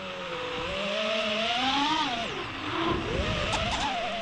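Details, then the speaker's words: FPV quadcopter without Blackbox; high motor whine climbs, then sags sharply before surging back as motors intermittently drop out, which the pilot says indicates failsafe; cause unresolved at this point. "I take it back off and then I have you here the motors drop off with a bug them and then they come back"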